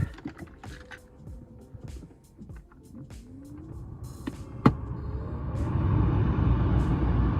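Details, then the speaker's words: BMW E36 M3 blower after replacing the blower resistor and the complete blower motor assembly; a steady airy whoosh builds and holds evenly, the vents blow cold air, and the AC problem is fixed. "listen to that you guys we have officially fixed our AC problem"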